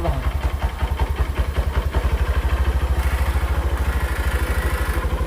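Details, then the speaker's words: Honda Verza motorcycle that would not start and stuttered, after a TPS error (8-blink code) cleared: even, regular putt-putt idle with no stumbles or hunting, throttle responds immediately; normal idle. "Dan untuk gasnya itu enak. Jadi, begitu hidup kita tarik gas kayak gini langsung respon ya. Enak."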